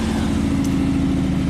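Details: 1995 Chevy Camaro V8 with a no-crank fault traced to an aftermarket security system: smooth, steady idle with an even low rumble and no stumble or ticking; normal idle.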